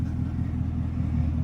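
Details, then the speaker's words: 2020 GMC Sierra at idle after a new serpentine belt and idler pulley: deep, steady low rumble, now quiet with no squeaking, belt drive healthy. "Listen, now it's so quiet now, no squeaking. God, I couldn't stand that."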